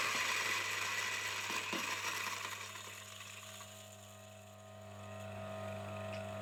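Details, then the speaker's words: A coffee burr grinder grinds 15 g of beans plus a 0.9 g stone from raw-coffee destoning. Steady motor whir with a few sharp clacks as the hard stone passes through the burrs. "I'm gonna grind one more stone, and we're gonna drink it, and see if I can taste it."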